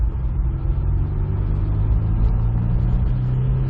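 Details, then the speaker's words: 2003 Honda S2000 AP1 with a JDM subframe, after new injectors and an OEM catalytic converter fixed its misfires. A deep, even engine rumble pulls steadily under acceleration with no stumble. Shifts are good; the clutch still needs bleeding. "acceleration shift was nice gotta bleed the clutch a little bit but oh my god it's working"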